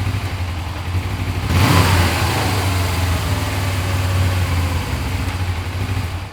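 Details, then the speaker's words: Suzuki GS500 twin: low uneven lumpy idle with a short throttle blip, runs rough; owner suspects an air leak, but brake cleaner sprayed on the intakes changed nothing, cause not found. "so it actually looks like there's an air leak or something like that but it sounds like an air leak"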